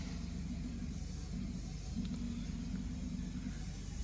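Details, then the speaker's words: Lexus 3UZ-FE V8 on new standalone manual-configuration harness for a 2013 Scion FR-S swap, shop test run: starter churns low and even with no firing at all; cranks but won't start because the fuel supply was empty. "It actually sounds like I don't have any fuel in here. Let me just check the fuel quickly."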